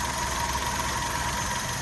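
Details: Alto K10 after an engine overhaul for a missing problem, all fittings done: small petrol engine ticking over smoothly and evenly with no missing beats or knocks. A normal, healthy idle.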